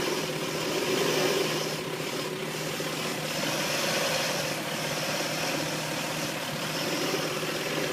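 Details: Engine just after a head gasket replacement idles with wavering, irregular pulses and a faint hiss over the top; rough idle, owner suspects a vacuum leak, unconfirmed.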